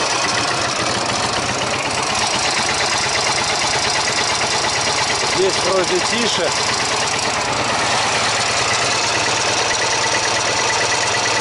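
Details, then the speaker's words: Урал (Ural) motorcycle on a trip in about 42–43°C heat, cylinder-head temperatures around 150–170°C: loud uneven idle with a ringing, clicking tick over the engine note; owner suspects overheating and possibly an enlarged valve clearance, cause unconfirmed. "у нас как-то странно зазвучал мотор появился какой-то посторонний звонкий цокающий звук"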